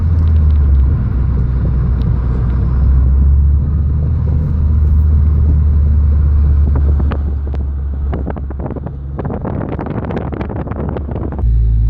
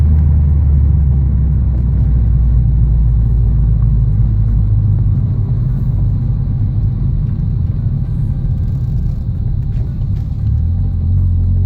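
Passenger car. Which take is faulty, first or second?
first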